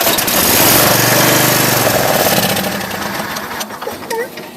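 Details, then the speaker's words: Craftsman lawn tractor model 917.273041, 20 HP Briggs and Stratton, no-start since last fall: on ether spray gives a quick ragged burst of firing that fades and dies; ignition fine, fuel problem, gas and carburetor to be drained. "So it fired on ether, which means that it's not an ignition problem, it's a fuel problem."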